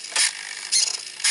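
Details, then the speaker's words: Traxxas Revo 2.5 RC truck servo (TQI transmitter): three short harsh high-pitched buzzes about half a second apart; steering servos had been fighting from misadjusted links, throttle servo still sounds bad, owner suspects it needs cleaning or replacement. "does not sound good at all I might need to just pull it and probably need some cleaning and it probably just needs replacement"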